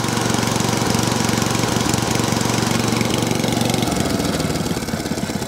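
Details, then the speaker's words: Small cylinder-mower engine after a quick fix to a leaking carburetor runs steadily with a very small rhythmic miss or hunt; this carb type is known for that, so it is acceptable normal running. "the diloto are known for not the smoothest of running they're very small a very very small miss there or a hunt very small see the arm just flat away ever slightly but we still all okay they are known for that"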